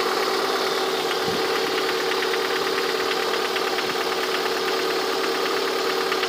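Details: Lada 21126 engine at steady idle with a sharp, fast metallic ticking knock, heard most clearly near the end of the recording; the owner asks what the sound is, cause unknown.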